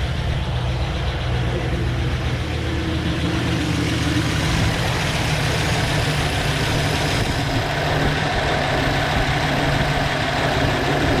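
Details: LS2 V8 truck's first start after a cam, valve spring and pushrod swap with the heads pulled, fresh oil and refilled coolant: deep, steady V8 rumble at an even idle with no ticking or knocking, a healthy fresh start.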